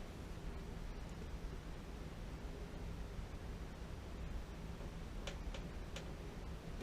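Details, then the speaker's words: AO Smith Signature Series gas water heater, relight attempt: several sharp single clicks over a steady hiss, no flame catching; igniter sparks but pilot won't light. Suspected sediment in gas line or blocked pilot tube; voltage issues also noted, not confirmed. "That almost always does it. You shut the gas off to the house and you can't get the water heater relit. Why isn't it coming up though? That should be coming up."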